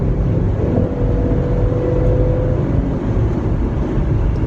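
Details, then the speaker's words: 2017 Jeep Grand Cherokee Limited, 3.6 V6 VVT 286 hp, 8-speed automatic, 2.5-ton, near-full throttle accelerating 110 to 130 km/h: loud steady engine drone at about 5000 rpm barely climbing while speed hardly rises; weak high-speed acceleration. "你听那个声呜，但是速度没怎么动，这个就有点尴尬，跟我想象中的不太一样啊。它在前段加速还挺好，这后段加速怎么肉呢？而且发动机转速已经涨到了5000转了"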